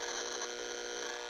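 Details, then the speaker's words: Noise sniffer on mains plugged into an inexpensive power strip with no filtration: steady high buzzy static with a fixed whiny pitch that cuts off when unplugged; line noise passing straight through, unlike a Panamax M8 HT Pro filter which removes it. "the noise sniffer into this inexpensive strip there's no noise filtration going on now as far as the surge protection"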